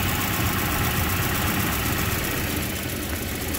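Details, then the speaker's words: 1992 Volvo 240 daily driver after new fuel pumps, filter, plugs, wires, radiator, water pump and timing set: starts right up, even steady idle with smooth low rumble and no knocks or misses, runs healthy. "starts right up idle is fine uh it's a good running car"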